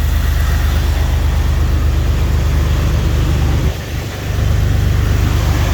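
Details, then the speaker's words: Jeep XJ after alternator and belt replacement, previously squealing: deep, even idle with steady low pulse and no belt squeal; charging and running smoothly. "Oh, she's charging up. Running nice and smooth."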